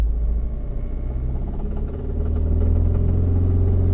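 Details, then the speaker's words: 1991 Vauxhall Cavalier GL with a swapped 2.0 SRi 130 engine, at idle: constant light top-end tapping about four per second following engine speed, new since a drive the previous week; valvetrain noise suspected, cause not found. "I mean, so we're just sitting here right now, and it's like, you can hear it tapping all the time now, and it wasn't doing that last Sunday."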